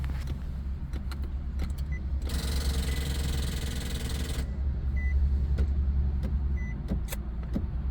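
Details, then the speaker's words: Nissan 370Z no-start, owner insisting on spark plugs and coil packs: steady low hum with a sharp click repeating about every half second near the door. Mechanic suspects the constant cycling is draining the battery. "that's still going constantly then that's going to kill his battery and that could probably be why the car won't start"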